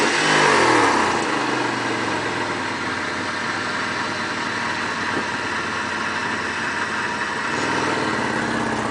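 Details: Mitsubishi 3000GT at idle: steady fast, even puffing tick, about four a second, on the exhaust note; suspected exhaust leak, possibly at the front, not confirmed.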